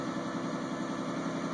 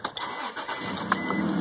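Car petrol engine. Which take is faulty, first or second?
second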